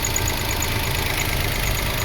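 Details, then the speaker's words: 2005 Toyota Passo after relay replacement and cleared codes: short steady even idle, smooth hum, no knocks or misses, fast idle over 1,000 RPM; idle control problem fixed: normal idle. "Oh, we do have a fast idle. It sounds like we don't, but we are at over 1,000 RPM."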